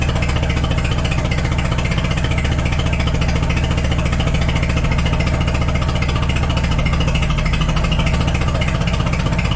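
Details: Cheap forklift engine idling while the distributor is loosened to advance suspected retarded timing: low, lumpy, uneven idle with slight stumbles, adjusting until it smooths out.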